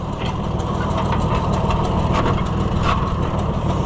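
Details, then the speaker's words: Junkyard Oliver Super 77 tractor before its test drive, with good oil pressure: the idle turns uneven with irregular stumbles, about three a second, and it threatens to stall. The owner wonders whether it is low on fuel, though fuel was added. Rough idle. "Uh-oh. Don't you want to go for a drive? Now you're starting to act funny."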